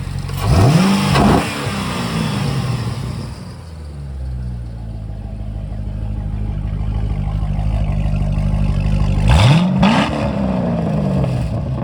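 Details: 2008 C6 Corvette 430 hp LS3 V8, 35,274 miles: two sharp blips, revs climbing fast and falling cleanly to a steady lumpy idle; no knocks or ticks, healthy.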